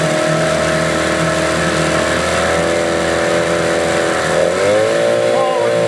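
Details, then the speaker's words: Yamaha 8 hp outboard won't idle unless choked: runs unevenly, pitch wandering and sagging; owner suspects the fuel pump diaphragms (common on this motor) or a dirty carburetor needing cleaning. "unless I give it a little choke so that means either them diaphragms in that fuel pump which is common on this little motor or the carburetors just delete so I'm gonna have to pop the cobby on this one and give it a clean"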